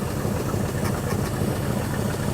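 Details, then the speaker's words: Ford 289 V8 in a Galaxie with rebuilt Autolite 2100 carburetor, first start: steady idle firing on all eight with a sharp puffing chuff each beat from exhaust escaping a cracked manifold. "now we do have a busted manifold on this side so you may hear some chuffing it's hitting on all eight yeah it's pushing a lot of air out around that manifold kind of sounds like a hit or miss engine"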